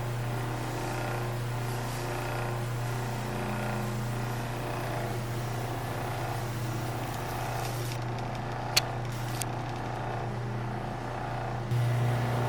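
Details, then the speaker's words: 1936 Maytag Model 30 washing machine motor after about 20 minutes running unloaded with the belt off: steady, even low drone with no knocks, scrapes or rattles; the motor is warm on top but not hot. "we've been running now good 20 minutes and while the motor is warm on the top I wouldn't call it hot and this is running unimpeded with without our belt on"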